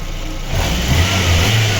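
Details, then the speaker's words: VAZ 2115 1.5 injector petrol engine, knock first suspected as camshaft, after replacing used coil, plug wires and spark plugs: smooth, even running, the ticking gone, only a faint normal valve tick remains. "Сокотить тільки клапан."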